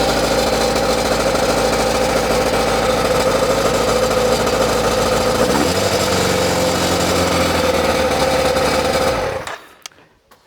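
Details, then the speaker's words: ZZR600 four-cylinder under restoration, with a cap fitted in the exhaust: even, busy idle with a steady beat and no misfires for about nine seconds before shutdown. Normal idle on all four cylinders; it hangs slightly on revs. "So, so we're idling nicely. We are definitely running on all four cylinders."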